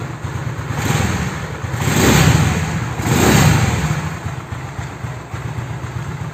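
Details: Honda Beat carburetor scooter after replacing worn, loose valve rocker arms and pins, plus piston gasket: two clean throttle blips rising and falling smoothly, no ticking from the head; previous noisy head now normal.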